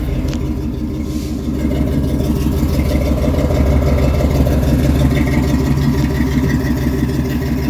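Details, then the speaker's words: 1972 Chevy truck V8, already warmed up, fires right up and runs cherry. Deep, steady burble with even firing and no ticks or knocks; healthy warm idle. "but it's warmed up already so fires right up this truck runs cherry"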